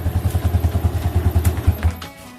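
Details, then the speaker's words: Old Yamaha Jupiter MX after disabling the AIS system (leaking vacuum membrane caused exhaust popping on deceleration): even, steady thumping that fades cleanly as throttle closes, no exhaust pops; engine sounds normal. "jadi untuk ledakan sudah hilang dan EE motor sudah normal ya untuk suaranya"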